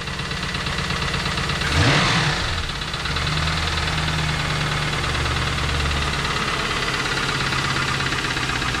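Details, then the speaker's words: Trans Am with T56 manual transmission: engine started after pulling the transmission and finding a good pilot bearing; a fast, uneven knock about three per second over rough idle persists, owner concludes rod knock (bottom-end), not yet confirmed by teardown. "so obviously i have a rod knock which is what i was hoping and praying wasn't and i kept telling myself it wasn't i feel someone's else's car but oh yeah it's a rod knock"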